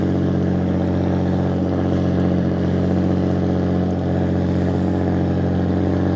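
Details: Restored 1935 Stancraft race boat inboard, the oldest known surviving Stancraft, with race intake manifolds that hold a high idle of about 2,000 rpm; steady, deep, even drone with a smooth beat and no knocks or misfires. Normal high idle.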